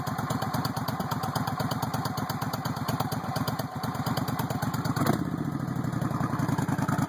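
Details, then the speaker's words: 1996 VS1400 V-twin motorcycle on a cold start with the idle raised a little: lumpy, uneven idle with occasional pops in the exhaust. The cause is unclear; possibly a lean mixture. "the idle up a little bit it's kind of cold a little bit of popping still there but idle there it is"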